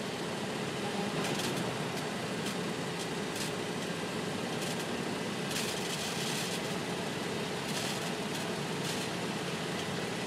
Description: Catalytic converters making a snap crackle and pop noise on my 2009 Infiniti FX35.